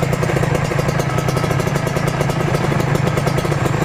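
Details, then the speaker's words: Two-stroke Ninja RR/R (Kawasaki) engine, fresh rebuild during break-in (run 5 min, off 10 min, 15–20 times daily), idling: even, steady burble with quick regular beat, no rattle or knock, smooth like a four-stroke; normal idle. "hiup idle halus banget kalian dengarkan suaranya halus kan kayak motor 4 tak nih kayak suara kamrat yang e terlumasi oleh oli mesin"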